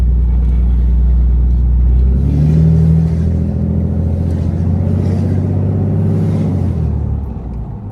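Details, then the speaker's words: 2016 Ram 2500 6.7L Cummins, tuned and deleted, with the Pedal Commander reconnected: a deep diesel drone sagging as revs drop, unusually loud and audible outside. The exhaust brake is not engaging, even on the hot tune. "And my exhaust brake ain't coming on like normal. Let me change my tune. I'll turn it hot. Yep, my exhaust brake ain't coming on now."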